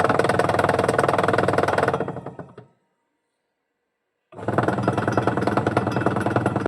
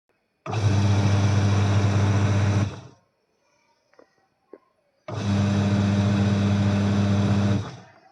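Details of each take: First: Washing machine running, drum turning: fast clattering 'khad-khad' rattle about three knocks a second, stopping and resuming; worn, loose gearbox pulley knocking as motor belt turns it, reducing belt grip; fixed with a rubber washer. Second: Washing machine after its loose gearbox pulley was tightened using a rubber washer: a smooth, steady motor hum while agitating, with no khad-khad rattle. Normal running.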